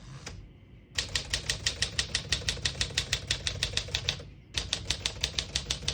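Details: 1954 Smith-Corona Silent-Super portable typewriter, serviced, all functions working: crisp regular key strikes about three per second, a pause, then typing resumes; action healthy, no bell clearly standing out.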